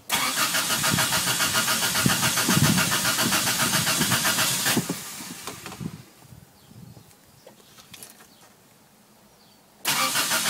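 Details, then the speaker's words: Toyota started right after cleaning the idle air control valve in the throttle body: catches and runs loud and uneven at about three and a half pulses a second, sags and nearly dies, with smoke; hard starting and rough running at first. "see it's had been pretty rough pretty rough there for a [Music] second"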